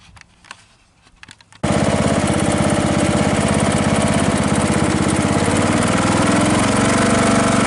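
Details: Craftsman L3000 riding mower after new blades installed, started for a test mow; fires up after handling noise, then a steady, even roar with a regular beat; healthy under load.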